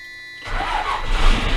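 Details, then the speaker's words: Cummins 24v diesel, first start after Hamilton 178/208 camshaft install, gasket replacement and fuel system upgrade with air bled: brief crank, catches almost at once, steady clatter; normal start, like before the shop visit. "And there it is. I don't know if you can hear me talk over the engine. I'll shut it down. That's how it used to start before I took it in the shop."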